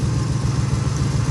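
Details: 1980 Chevy K10 V8 idling warm after new transmission cooler lines: steady, even low rumble with regular pulse, no knocks, ticks or misses; no leaks found; healthy idle.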